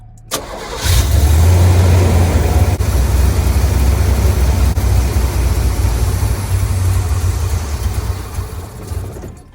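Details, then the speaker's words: 1974 Corvette during carburetor retune, new spark plugs: cranks, catches, runs a rough uneven lope, then dies whenever the fuel bowl sight plug is removed. Stalling; fuel level suspected too low, sucking air. "Every time I take off the peephole, it dies, which means it could be too low, and then it's just like sucking air."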